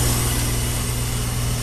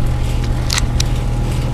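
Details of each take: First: Fairly new high-efficiency XP5 heat pump with a bad reversing valve: steady low compressor hum with a constant airy hiss of refrigerant leaking through the valve; about 12° rise from suction line to compressor; valve to be replaced. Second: Fairly new high-efficiency XP5 heat pump after reversing valve replacement, charged to 4° subcooling: loud steady compressor drone, even fan rush, faint panel buzz from shroud vibration; runs normally.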